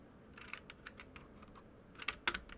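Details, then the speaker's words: Galax Stealth STL-03 mechanical keyboard: crisp, irregular key clicks with a slight spacebar rattle. The spacebar squeak, possibly from the keycap, is gone. "So the squeaking sound, as you can hear, is now gone. Of course, we still have that clicky sound and the rattling from the spacebar, but the squeaking sound is now gone."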